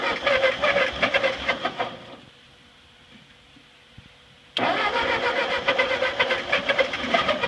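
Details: Ford 8N tractor that sat 4-5 years, with the carburetor bowl drained until gas flowed, choked: starter churns in uneven bursts with sputters but never catches and runs. A fuel drip is present.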